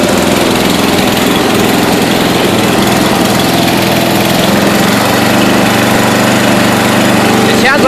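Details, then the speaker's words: 1992 Yard King lawn tractor after seven years sitting, cold, started at wide-open throttle with a little gas: small single-cylinder engine surging at fast idle; owner suspects the cold, valves or an out-of-tune carburetor needing adjustment or rebuild. "draught is better now it's not yeah I don't know if it's urgent because it's colder of the vowels need adjusting or the car needs adjusting or what"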